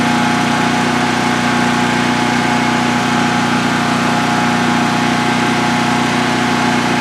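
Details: DuroMax XP15000HX generator, newly installed in a shed with exhaust extension, second start: steady even drone with constant low hum, no knocks or surging; normal idle.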